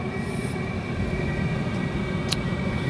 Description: cheap Chinese diesel heater running for the first time.